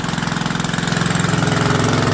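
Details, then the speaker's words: Rebuilt WW2 generator engine on first start, warm original piston, quarter choke, no smoke: steady, even single-cylinder beat with a firm low thump and no misses or knocks; running normally before shutdown. "There we go. Absolutely spot on."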